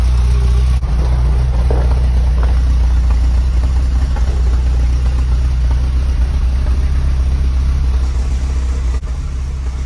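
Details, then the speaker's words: Porsche 924 Turbo after exhaust hole repair, motor mounts and wastegate rebuild, first start after five months on a jump: steady low idle rumble, slightly lumpy, smooth even exhaust note with no ticking or puffing leak; exhaust sounds normal. "and there we go she sounds great back to the way she was"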